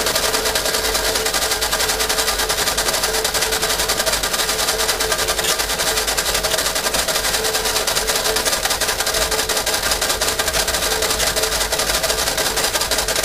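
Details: 1952 Fordson E83W pickup with a 100E engine, sitting since 1982 and previously seized, since freed (two stuck pistons and two stuck valves, both valves removed), cranked with a bit of choke: fast, steady starter chatter turning the engine over with no firing; cranks but won't start.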